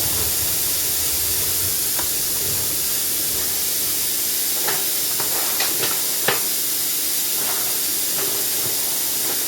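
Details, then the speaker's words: Plasma cutter: continuous hard air hiss that won't stop with the torch button released, brought on by wiggling the torch lead. A break in the torch switch wire is holding the air on. "Can't get it to stop now. I haven't got the button in. No, it won't stop. It's on."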